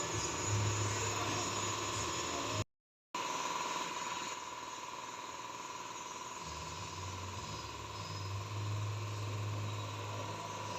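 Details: Hyundai (Starex) with the steering wheel being turned: a steady mid-pitched hum with a low drone underneath, the power steering humming when turning.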